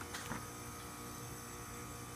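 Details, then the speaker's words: Geothermal heat pump with a newly replaced compressor, just after reconnecting a loose Molex plug wire that blocked second stage: steady even electrical hum, no knocking or rattling; running smoothly on second stage at about six amps while just getting started. "now we're looking a little better a little higher on the amp we're all there six amps it's just getting started"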